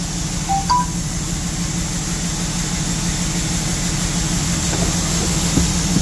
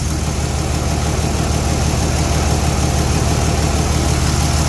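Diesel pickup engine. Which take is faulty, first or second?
first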